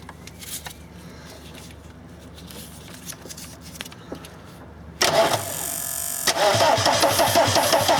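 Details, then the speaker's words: VW camper van with swapped TDI diesel engine and new harness: fuel pump clicks, then repeated steady cranking with starting spray, never catches; the diesel cranks but won't fire. "'m gonna crank it and I'm going to spray the stuff in hopefully it starts"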